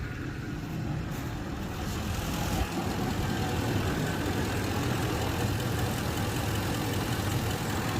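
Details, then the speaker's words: Ford E-350 van with wheelchair lift that had broken down: steady, even low rumble with no surging after the high idle dropped back down; idle now quiet and normal. "All right, you guys, if you can hear now, it just quiet down. It's not idling high anymore."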